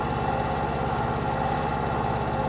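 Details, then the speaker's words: Ported Stihl MS500i chainsaw at idle: steady, even two-stroke putter with regular firing beat, no hunting or stumbling; normal idle, runs stronger than factory. "that saw runs strong it idles it does everything it's supposed to do from the factory but it's stronger"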